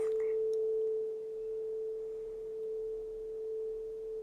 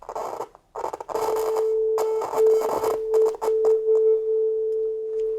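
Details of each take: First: 30-year-old Soundtracs Jade 32 inline analog mixing console fed a sine-wave test tone while a channel pan pot is swept left to right: the tone stays clean and steady with no crackle or dropouts, so the pan pot is normal. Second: Soundtracs JADE 32 inline analog mixing console, about 30 years old: a steady test tone breaks into scratchy dropouts and crackles as the channel gain pot is turned near the end of its travel. Oxidation is suspected because that range is rarely used, but a fault further down the line is possible. Working the pot improves it.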